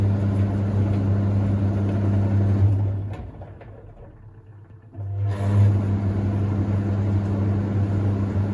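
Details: Hoover Ecologic D6722 reversing tumble dryer, after being taken apart and de-fluffed internally, test run with lid on: smooth steady low hum from motor and turning drum, no scraping or knocking; sounds much smoother than owner's older one; normal operation.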